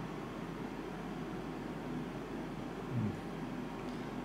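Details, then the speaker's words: Mitsubishi DXK13YXP-W1 12,060 BTU inverter air conditioner indoor unit on high fan speed: a steady, even rush of air with no rattle, tick or wobble; normal, though louder than low speed. "FanSpeed1ควรจะรู้มันที่เงียบถ้าเป็นHighเนี่ยเสียงดังครับตอนนี้หายครับได้ยินไหมครับและนี่คือเสียงพัดลมครับคือขนมแอร์ครับ"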